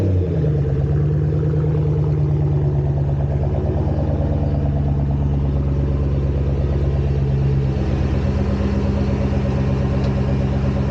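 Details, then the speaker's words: Ford Mustang road test over bumpy road after replacing upper and lower rear spring isolators, torqued to 85 lb-ft, to cure a rear-end clunk over bumps: steady engine and road drone, no clunks or knocks; repair succeeded. "all right this section road is pretty bumpy i'm not hearing anything i think this was a success"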